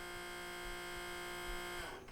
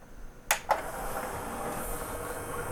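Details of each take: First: Sony CDP-CX355 CD changer, nearly 20 years old, showing a table error: the motor whirs with a steady fine buzz for about two seconds but the carousel doesn't spin. The belt is likely broken, slipped, stretched or turned to goo. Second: Sony CDP-CX355 CD changer, nearly 20 years old, after replacing the loading and carousel belts: soft motor whirr with light clicks as the disc is drawn in, with no grinding.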